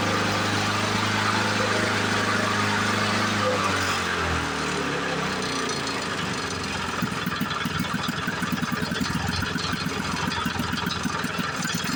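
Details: 1977 Ryan commercial bricktop mower, two-stroke, run after decades in storage: rough, loud start settles into an even, rapid two-stroke beat that keeps running steadily; old mower starts and runs normally.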